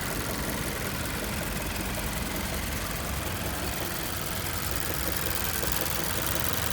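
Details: 2014 Mazda6 GJ 2.5 SkyActiv 192 hp petrol at idle after 15–20 km of city driving: fast, light, even ticking knock over the steady hum; knock present, source unclear.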